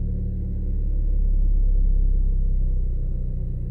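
Deep cold-engine rumble with an uneven throb, roughly four beats a second, instead of a smooth idle; sounds like a cold misfire.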